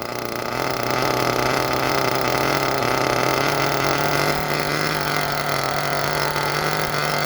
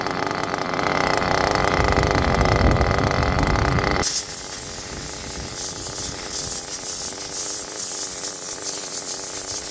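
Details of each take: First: Small nitro engine during a Todd Method break-in: idling low and burbly, running very rich and sputtery. Temperature is dropping from about 131 to 118, and the idle keeps falling and needs raising. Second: Nitro engine during break-in by the Todd Method, temperature lowered to about 121: soft, even, low steady putter at a nice normal low idle.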